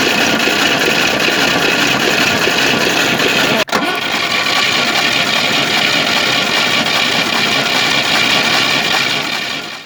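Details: Moskvich 2140 engine that misfired, knocks, has water in cylinder 2 and oil in 3, and now starts badly: slow, dragging uneven cranking, nearly stalling, during homemade-gauge compression test reading 4, 2.5, 4.5, 6. Low uneven compression.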